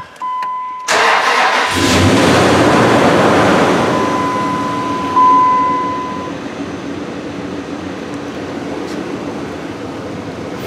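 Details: 2004 Dodge Ram 5.7 Hemi after the broken valve spring was replaced and the rocker shaft, coils and gaskets were reinstalled, on a weak battery: it cranks briefly, catches and settles into a smooth, steady V8 idle with no stumble or miss.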